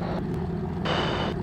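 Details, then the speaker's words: P-51 Mustang V12 warming up at 900–1,000 rpm after start, nearly warm, oil pressure good: even, steady deep drone with no misses or stumbles, running smoothly like a sewing machine. "pers like a sewing machine man warming up 900 to 1,000 RPM like I said she's pretty much warm"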